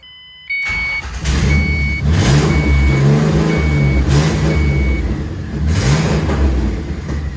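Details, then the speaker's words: Twin-turbo 1965 Mustang hot rod after throttle and vacuum line work: revs climb and fall repeatedly, never settling to idle, with electronic chirps and intermittent loss of pedal response; won't idle, cause not confirmed. "[Music] it will not idle [Music] sounds really good there you go nothing I got nothing on my pedals every now and then I just got nothing at the pedal"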